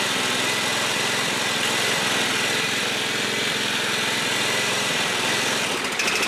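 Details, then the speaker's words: Trash-find John Deere 14SB push mower at half throttle, improvised rope recoil, carb only removed and inspected: steady but slightly uneven buzz; owner thinks the carburetor needs a rebuild; rough running. "I think the carb needs a rebuild"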